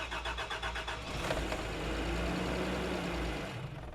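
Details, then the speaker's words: 1989 Toyota Land Cruiser barn find, sat about 8 years, fuel very low, cranking with starting spray: uneven starter churn about three turns a second, never catches; suspected no fuel, most likely dead fuel pump, possibly clogged filter or pickup. "that it's not getting fuel, [sighs] [gasps] which is either fuel filter's clogged, not likely, but possible."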